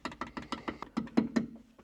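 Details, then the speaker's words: Porsche 996 Turbo driving with multiple check-engine lights and a suspected MAF or vacuum-leak fault; sharp light rattles buzz from a loose screw in the headliner whenever the exhaust hits around 3,000 rpm, fading as revs drop. "there's something loose in the headliner and every time the exhaust hits a certain RPM like around three grand it's just like it buzzes in there it's like uh sounds so bad not the exhaust that rattle"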